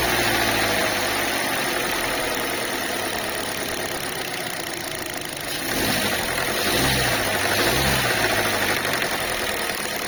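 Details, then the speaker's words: Chinese car at idle after start-up: fairly regular tapping about three a second over steady idle, traced to a loose hose at the fuel filler neck knocking; knock from loose filler-neck hose. "а вот что стучит у нас на этих слушайте болтается как это шланг Да горловина"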